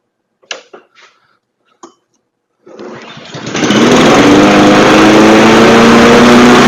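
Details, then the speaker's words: Craftsman push mower with automatic choke, after a carburetor clean and fresh premium fuel: a few clicks, then it catches and races at a high steady buzz; overspeed from a governor needing adjustment by bending the spring rod. "That was definitely running kind of high. I'm going have to an adjustment on the side here."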